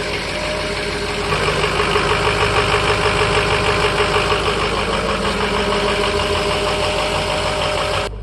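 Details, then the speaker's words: 2005 Ford F-350 6.0 Power Stroke diesel V8 at a cold start in about the 30s °F, the morning after adding Archoil AR9100 for suspected failing injectors: steady even clatter, no misses; earlier rough cold starts and fifth-gear bucking subsided. "know it's not the coldest of a cold start obviously but that worked pretty damn good that surprised that it worked"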